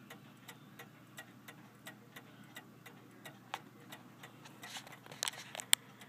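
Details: F. Kroeber 1874 cast iron clock after cleaning, unrun for years: quiet ticking about three per second with uneven spacing, seeming to speed up and slow down; sounds out of beat, stopped about 5 a.m. after running all day.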